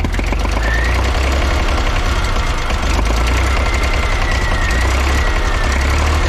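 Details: Old diesel Tower vibratory roller compactor, first run after sitting 30 years: heavy, deep thrum at steady mid throttle with an uneven lumpy beat and periodic dropouts, a bit smoky; owner thinks it is missing on one cylinder.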